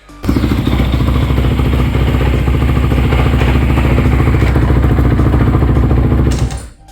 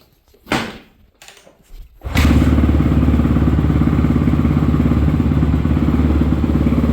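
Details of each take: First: 2014 Honda CRF250R dual-exhaust after new piston, top end and rod good: single-cylinder running with loose metallic slapping in the bottom end; suspected loose object in crankcase, like a bolt, dowel pin or broken gear tooth, unconfirmed. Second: 2014 Honda CRF250R dual-exhaust single-cylinder dirt bike, previously shut off while riding, after rebuild: barks to life and settles into a steady even idle thump with no knocks or clatter; normal running.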